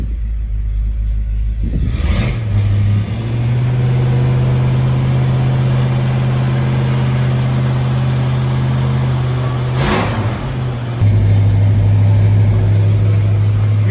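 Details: Ford project car after five days chasing a running fault, ignition parts and fuel pump swapped; the culprit was wrong spark plugs: engine catches, settles into a steady even idle, revs cleanly and holds smooth; normal running.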